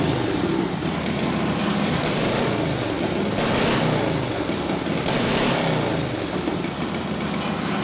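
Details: Freshly rebuilt Harley WL 45ci flathead V-twin in a 1932-34 RL frame idles while warming up; a steady, loose lope holds its rhythm without misses or knocks, running healthy; it spits flame when revved.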